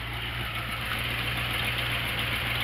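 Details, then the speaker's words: Ford Ranchero V8, still cold, after fixing a broken passenger-side exhaust pipe and resetting distributor timing: steady, even low rumble with no puffing or ticking from the exhaust; exhaust leak fixed; normal idle. "Now it's running nice and smooth."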